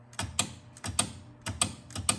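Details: 1976 Bally Flip Flop pinball after cleaning and adjusting dirty, misadjusted flag switches: crisp paired clacks, about five in two and a half seconds, clean with no chatter; flag switches now work reliably.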